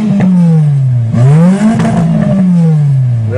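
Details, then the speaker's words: Repaired Nissan 200SX after the oxygen sensor, left disconnected during manifold work, was reconnected and the clutch adjusted. The engine revs smoothly toward redline and back, quicker and stronger than before, with a clean, even note and no misses or knocks. "red line for a good time she revs quicker that's more stronger power Lisa sounds like it anyways"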